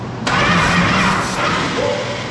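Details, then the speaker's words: Former 1970 Dodge Charger race car, automatic, revival with ballast resistor jumpered: starter engages sharply and spins engine steadily without grinding or clicking; healthy cranking, though the car seemed to try to turn the driveshaft. "Well, it did turn. We don't know the starter will turn. Oh, That doesn't sound bad at all."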